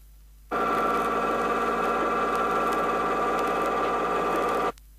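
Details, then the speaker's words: 1970 Chrysler rear axle demonstration: steady harsh gritty ring and pinion gear whine with pinion moved out of drive gear about 0.004 in; incorrect pinion depth causes the noise. "at this point the sound is increasingly Audible and has a definite harshness"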